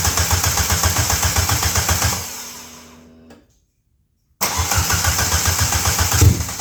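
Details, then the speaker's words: Suzuki Swift GT project car after fuel cut sensor replacement, open header, phone mic in garage: loud raspy exhaust dies away, restarts and settles into fast, slightly uneven idle; idle speed too high. "and also it does not idle very low right now, so it is just nasty."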